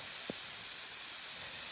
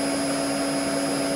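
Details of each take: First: Maple sap vacuum system, 11,000 taps, January lines: constant high airy hiss with no rhythm, air drawn in through bear-bitten tubing; vacuum leak. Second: Maple sap vacuum pump set to 49 Hz, about 24.5 inches vacuum, feedback a little over 50 meaning the system is tighter than target: steady even mid-pitched hum with faint high whine, no knocks or surging; normal healthy running.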